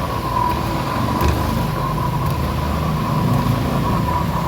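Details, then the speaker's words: Honda ADV 160 scooter, 16k odometer, under one year old, CVT opened: steady whine near 1 kHz over engine rumble from a noisy torque drive bearing. "Napansin niyo 'di ba? Maingay siya sa torque drive bearing lang yan."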